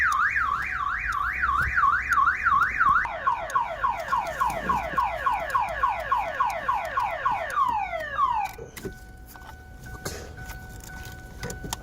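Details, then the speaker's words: 2007 Ford Focus towed in, won't start; aftermarket alarm module warbles then sweeps fast, about three per second, sounding continuously until disconnected; alarm/immobilizer issue. "This car come by tow truck, it doesn't want to start. Oh, and the alarm is messed"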